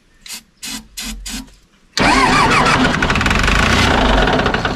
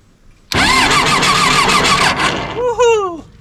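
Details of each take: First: John Deere 755 turbo diesel track loader after sitting over 20 years, ether sprayed in because the fuel lines aren't primed: heavy diesel churning on the starter in long pulls, not catching on its own. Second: John Deere 755 turbo diesel crawler track loader, sat over 20 years; quick even cranking with steady fast rhythm and strong whine, starter spinning the engine over fast; not yet primed or started.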